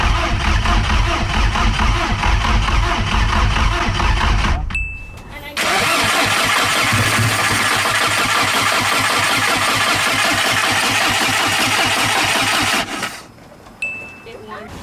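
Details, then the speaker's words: Big turbo VW GTI, first start after rebuild, on jack stands: starter cranks in long even bursts, pauses, cranks again, never fires; throttle body codes showing no power, rewiring didn't help. "day two well yesterday was a fail cranked it and cranked it thought it was gonna go but it didn't"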